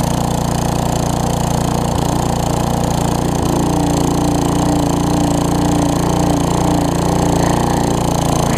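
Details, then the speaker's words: Tecumseh vertical-shaft engine on a weed trimmer after carburettor replacement, surging slightly without load; with trimmer engaged under load, loud even drone holds speed without surging; smooth running under load. "whenever i engage it you see how the throttle smooths out"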